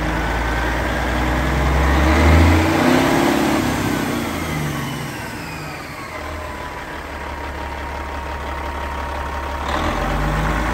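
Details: Cat 3406E diesel in a 1999 Western Star 4964SX: deep, steady rumble with an even beat and a slight rise and fall in revs; big engine idling smoothly.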